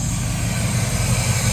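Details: 1969 Chevy K10 350 V8, 4-speed, after sitting for decades, running off a temporary fuel tank: steady even low burble with no misses, knocks or ticks; healthy smooth idle.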